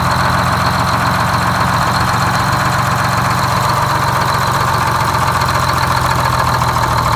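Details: GM 4104 bus two-stroke diesel after nine years sitting, with four stuck injectors freed and bad starter replaced: big steady deep idle drone, no knocks or misses; running healthy.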